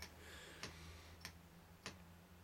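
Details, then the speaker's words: EGR valve on a bench exerciser built from an old computer power supply, cycling about once a second: sharp even clicks over low electrical hum, opening and closing crisply without sluggishness, working normally. "so that looks okay if it's sluggish or hesitates in any way obviously you've got a bit of a problem"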